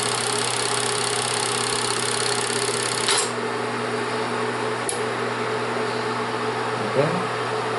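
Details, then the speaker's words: Bell & Howell Autoload 8mm/Super 8 projector left running after use to ventilate and cool the very hot bulb for about 5 minutes: even steady motor hum, constant airy tone, no rattles or speed wobble; normal cooling fan. "Lo vamos a dejar un rato así que esté ventilándose, como dije, ya que la bombilla alcanza temperaturas muy extremas, muy altas."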